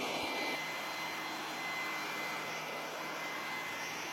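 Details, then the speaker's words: Repaired Flymo GV650 leaf blower/vacuum, universal motor run on a 32 V supply instead of 230 V: steady even rushing whoosh with constant high motor whine; works, though slower than on mains. "je mets en route ça fonctionne même si ça tourne moins vite évidemment qu'avec du 230 V"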